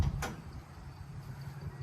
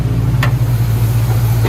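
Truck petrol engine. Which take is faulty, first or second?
first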